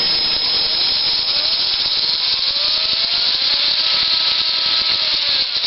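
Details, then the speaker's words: Axial XR10 rock crawler gearbox; high, gritty, growly gear whine rising and falling with motor speed, much louder; gears have too much play, probably a failed bearing; gear noise. "that's the sound of gears having way too much room and that's probably because one of the bearings is gone"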